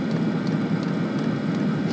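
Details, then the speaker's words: Webasto-type heater on a third-party replacement ECU board, in burn mode after the fuel pump kicked into fast burn; steady, even rushing roar from blower and burner with no surging or popping, no errors, hot water circulating; normal running. "heater mode to burning one so it's quite happily running just now and as far as it's concerned there's no errors so we are running we have hot water powering through the system"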